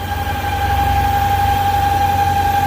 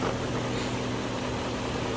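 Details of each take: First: 1998 BMW V8 that whistles once at operating temperature: steady high whistle over the idle, then a rush of air when the oil filler cap is removed; excess crankcase pressure from a faulty PCV valve. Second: 1998 BMW V8 at warm idle after PCV valve replacement, even and smooth with a steady low hum, no whistle or hiss, and no pressure when the oil cap is removed.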